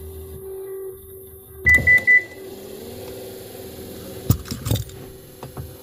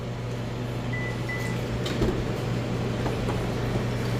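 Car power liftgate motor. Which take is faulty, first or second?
first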